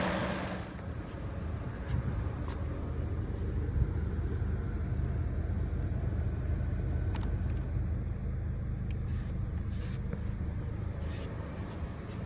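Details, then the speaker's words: 2011 Chevy Cruze idling with the AC on: steady idle rumble with a loose, irregular knock under it; the AC compressor is the suspected source of the noise. "This is a 2011 Chevy Cruze. The AC compressor is making noise."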